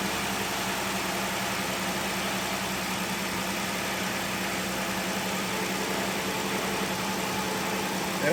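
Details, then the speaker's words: 2011 Ford Explorer with cylinder 5 misfire code, after replacing spark plugs (nearly 300,000 km old) and PCV valve. Engine catches without hesitation and settles into a smooth, quiet idle. Running cleanly after repair. "started a bit different as soon as this started there was no hesitation whatsoever [Music] that must be a good sign"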